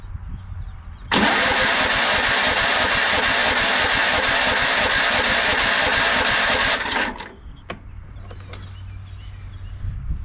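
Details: Yardsman lawn tractor, 15.5 hp Tecumseh engine with plastic-bowl carburetor, choke on, very weak battery: about six seconds of steady cranking that never fires; gas not flowing through, won't start without priming, carburetor possibly empty after sitting.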